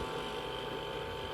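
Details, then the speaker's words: Frigoboat boat fridge after repair work on a condensation problem, with a quiet, steady hum and soft fan whoosh, no knocking. Compressor and fan running normally, no leak visible. "Visiblement, il n'y a pas de fuite. Là, on entend le compresseur qui tourne correctement, le ventilateur."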